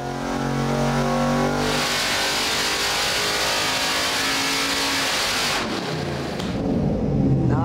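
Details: 1991 GMC Suburban's 383 stroker small-block Chevy, 490 hp and 492 lb-ft: deep V8 bark climbing freely through the revs and dropping back cleanly with no knocks or misses; strong, healthy normal revving.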